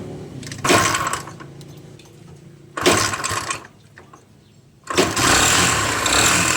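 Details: Kawasaki Barako single-cylinder motorcycle engine starting up: rough, clattery bursts and loud knocking, diagnosed as a worn connecting rod bearing; cylinder head to be removed for inspection of head and piston.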